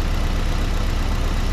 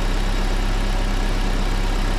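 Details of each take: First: Petrol engine misfiring at idle: one cylinder is not firing, giving incomplete combustion and a limping, uneven beat. The repair shown covers the ignition coil, plug cables and spark plugs, and a scan tool is suggested for diagnosis. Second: Engine idling after each cylinder's spark plug lead was pulled and refitted in turn during misfire checks: steady, even low hum with one small click and no stumble or missing beat; normal idle.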